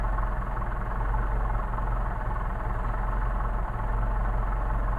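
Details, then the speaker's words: Solex carburetors on a test stand engine, cold before warm-up, idle deliberately set exceptionally low at about 475–500 RPM on an electronic tach; very slow, even, low rumble with no misses or knocks, a normal healthy cold idle. "So we are idling cold at about 475 to 500 RPM, bouncing between 475 500 RPM. Cold idle, which is pretty darn nice."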